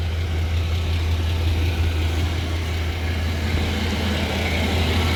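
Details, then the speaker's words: 1993 GMC 1500 OBS truck idling after serpentine belt replacement: steady low idle with no chirp or squeal, belt drive quiet and healthy. The squeak had lasted about 3 months and got louder two weeks earlier; the new belt cured it. "was hearing that squeaking. I don't hear no squeaking no more."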